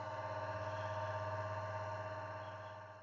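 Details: Three-phase bench grinder motor after swapping its capacitor for a calculated 25 µF one: steady, even hum with smooth whirr, no growl or labouring, easing off at the end; it had hummed loudly, vibrated and overheated before.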